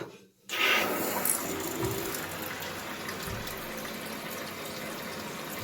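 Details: Toilet cistern refilling normally and quickly with a strong steady hiss after repair; the slow refill had been caused by a worn, torn rubber diaphragm washer in the fill valve, and the float arm was also realigned.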